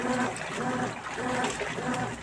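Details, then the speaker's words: Consul 12 kg washing machine in for a leak, drain hose reconnected during a test after refilling: water rushes steadily out with a smooth gurgle, no knocking or grinding. Normal draining. "indo tudo corretamente não tem nenhum problema tá tudo de bom"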